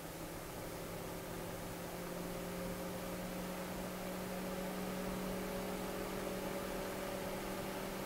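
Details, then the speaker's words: Noctua NF-P12 120mm fan at 12 V, 0.09 A, about 1300 RPM, camera close: soft even whoosh with a faint hum, no rattle or ticking. The air rush is the mic being close; the fan runs quiet and healthy. "very quiet fan also moves a pretty good amount of air"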